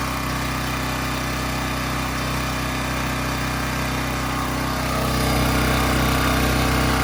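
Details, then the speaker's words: AC Delco 3500-watt generator, cold start after no-spark diagnosis and carburetor fixes, running at steady governed speed, firing evenly with no surging or misses; normal running. "some carburetor issues had to work out but um it is running now and it's actually a cold start"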